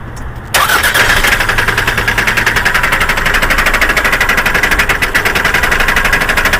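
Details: Toyota Camry: after the engine catches, a fast, sharp, steady ticking knock rides over the idle throughout; engine knock from inside the engine.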